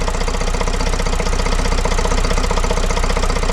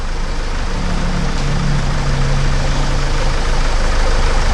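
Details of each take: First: Vauxhall Vivaro 2.0 diesel van first started after replacing and coding an injector, with the top breathers missing and adding noise. Steady idle with an even clatter at about four beats a second, no misfire or knock standing out, running fine. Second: Vauxhall Vivaro 2.0 van, first start after injector replacement and coding, jump-started: even idle with loud rattly top-end clatter because the engine breathers are missing on top.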